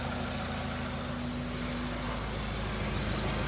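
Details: 2003 Honda CR-V after timing chain repair: smooth steady idle hum under background hiss, no ticking or rattling; normal idle, no leaks or smoke, owner suspects a small rear exhaust leak.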